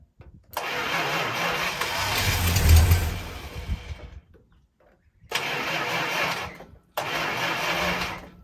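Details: 1965 Chrysler 300 with 383 V8, sat 17 years in California desert since 2005, first start attempt on a gallon of gas fed to the fuel line: three-second crank plus two more bursts, never catches; owner guesses timing slightly off.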